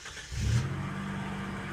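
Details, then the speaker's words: Gen 1 Mitsubishi Montero after MAF, TPS, coil, ICM, distributor, fuel pressure regulator and coolant temp sensor replacement: cold start catches quickly and holds an even high idle like a choke setting, normal during warm-up. "So, she kicks on and she does a high idle at first, like a almost like a choke setting, and it is supposed to do that."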